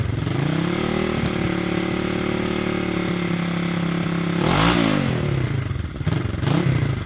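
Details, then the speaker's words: 1973 Honda CB350G twin, 4404 believed-original miles, engine cold and not yet started that day: catches quickly and settles into a steady, even idle with one clean rev blip near the end; a healthy cold start. "Let's start it up. Engine's cold. It hasn't been started yet today."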